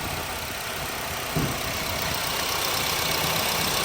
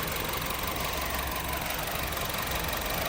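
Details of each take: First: Honda City that shook, wouldn't exceed 2,000 rpm or 40 km/h and flashed the engine light, idling after one faulty ignition coil was replaced and injectors and plugs were checked: steady even idle, no stumble; engine light off, running cleanly. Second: Honda City with a shaking engine, flashing engine light, limited to 2,000 rpm and 40 km/h: uneven, shaky idle with irregular stumbles about three a second; one cylinder misfiring.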